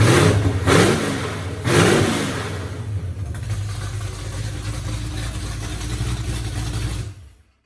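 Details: 1982 Mustang 5.0 carbureted V8, second start after wiring the MSD tach adapter and the Davies Craig fan/water-pump controller, carb only roughly set: fires on second try with two blips, then a steady, slightly lumpy deep idle.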